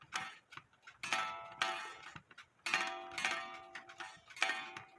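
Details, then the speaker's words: 1860 Black Forest wooden-movement clock, newly rebushed and rewired, rings its bell between sharp dry clicks because the strike hammer is still out of adjustment. "So you still hear the clicking noise, which I don't like, but you do hear what it's supposed to make. So I just got to adjust the hammer some more."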